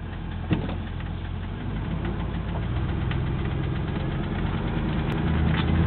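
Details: Triumph Stag engine driving along the road from cold while warming up, deep drone with a faint, uneven knock that starts to quieten down as it warms.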